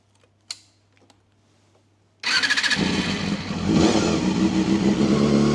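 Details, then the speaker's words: Honda CBR250RR MC22 cold start after carburettor cleaning and tuning (no-start before, suspected fouled plugs and blocked carbs): fires straight into an even idle with a slight hunt, revving cleanly; still a bit cold, running well. "Running perfectly now. Goes up. So it's still a bit cold, but she's running really nice. It's got that nice hunt to it."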